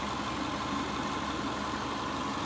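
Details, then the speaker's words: Cheap Subaru Forester bought with a non-running engine, now revived: steady, even idle with no hunting, surging or knocks; running smooth, no smoke, no oil leaks seen, charging system working. "Yeah, running smooth. No surge, no smoke."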